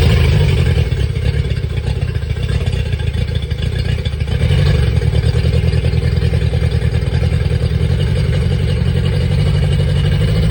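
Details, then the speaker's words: Yamaha 50HP (T50) outboard with water found in it: deep, lumpy, clattering rumble about three beats a second, missing and stumbling. It ran well briefly, then lost compression (zero psi); a dead cylinder. "well this just got even more interesting it ran good for a second with decent compression and then it smoked its compression"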